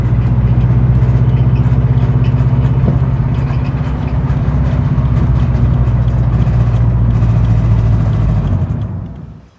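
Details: 2013 Scion FR-S engine before rebuild, the engine that blew: deep steady rumble with fast, uneven tapping about four per second until shutdown; knocking, cause not stated.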